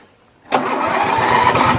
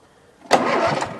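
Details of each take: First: Murray riding mower engine, ran low on oil and connecting rod came loose on crank; rod retightened but knock remains: starts instantly, fast idle with rough uneven knock under firing beat; rod knock. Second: Murray riding mower engine, electric start on battery with new charger: under a second of brisk, even starter cranking that dies away; turns over freely, cranks fine.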